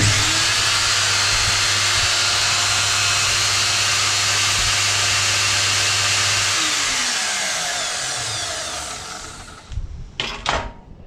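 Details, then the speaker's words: Ryobi line trimmer motor run with cover off; strong steady high-pitched whine at full speed then even coast-down, motor healthy; earlier bearing-like noise and power loss suspected in the gearbox. "all right I'm gonna give this a spin with the cover off so your shed any light on the problem here looks like it's got plenty of power enough powder just about throw the motor out of here"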